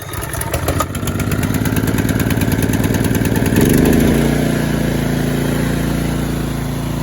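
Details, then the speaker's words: John Deere mower with Honda engine after repair of a locked-up engine: catches on choke, climbs to a quick steady beat about three per second, then settles into a smooth, even run; normal running. "Man, that's a sweet running little Honda motor."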